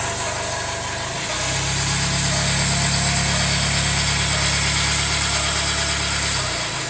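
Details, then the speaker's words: Jaguar F-Pace 204DTD diesel, self-rebuilt with used polished crank: first runs after rebuild, engine mount now connected. Loud, coarse idle that picks up briefly then settles, uneven gruff note; rough, owner unsure if normal, suspects exhaust blowing or needs warming up. "not sure what to make of that really uh sounds rougher than I'd hoped I don't know what these sound like normally"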